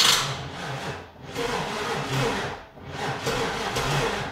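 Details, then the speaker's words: 1996 car, first crank with the fuel injector fuse pulled, jumper attached. The starter groans very slowly, about one turn every 1.5 s. Slow cranking; owner suspects a dead battery, not confirmed. "crank it over it's really slow though very very very slow and it could just be because that battery is shot even with the jumper on there it's just not enough"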